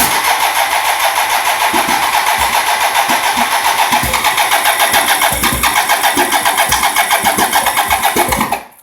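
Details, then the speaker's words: 1987 BMW K75S that cranks but won't start, even after new cleaned fuel injectors, new fuel pump, fuel filters and battery. Fast starter churning with only faint, scattered firing that never catches, plus clunky sounds near the throttle bodies. Cause unknown. "you hear it's firing a little bit um but I get these clunky sounds coming from down here by the throttle bodies"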